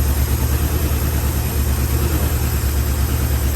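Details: 1974 Chevrolet C10 bought non-running: rough, loping idle of about three stumbling beats a second. It has an old high-mileage engine with blow-by and no coolant yet. The rings need to reseat and it needs a tune-up.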